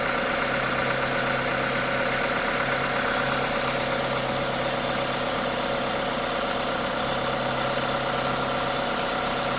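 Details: Toyota 2ZZ-GE engine at normal idle: smooth, even idle with steady hiss from the induction kit on top, no knocks or ticks; engine sounds healthy.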